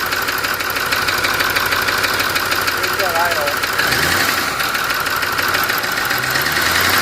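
Diesel running steady with a sharp, uneven knock of about three beats per second riding over the clatter; the source is undetermined.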